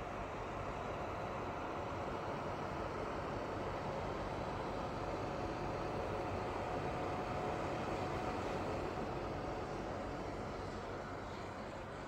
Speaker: so guys I'm playing e football 2023 on PS4 Pro and here is the fan sound yes the fan sound is really loud on PS4 Pro